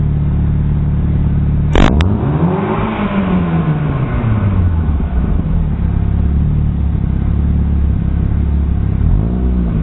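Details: Chevrolet Aveo with a fart-can muffler and an exhaust leak, throttle blips: a deep, raspy drone swells and falls with a puffing edge from the leaking exhaust.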